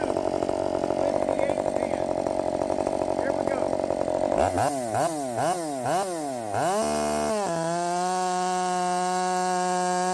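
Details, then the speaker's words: Redmax 5000 chainsaw with 16-in bar, freshly sharpened .325 steel RS chain, 8-pin sprocket, after wide-open exhaust port muffler mod, cutting: loud two-stroke scream bogs and recovers as it bites, then holds high clean steady pitch, pulling strongly, feels blazing fast. "damn it this thing feels fast now I mean blazing fast uh yes I think we did it I think I think we did it that thing is just hauling ass"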